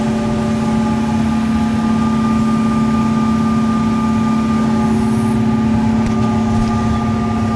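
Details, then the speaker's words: Old Carrier AC after replacing a smoked furnace fuse: steady low hum with constant tone, no knocks or rattles; unit running evenly. "something's running sounds like it's running now"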